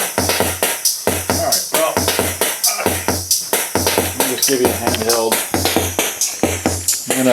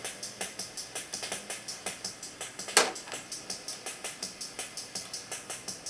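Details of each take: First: Sony Rhythm Capsule CF-900s/CF-9000 rhythm section: a loud, steady drum pattern at about 90 beats a minute with clean, even hits and no dropouts; how the unit should sound once serviced. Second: Sony Rhythm Capsule CF-900s/CF-9000 rhythm section: a steady, quick ticking drum pattern plays but very faint and thin even at full volume; owner suspects the switches, potentiometers and leaf switches need cleaning.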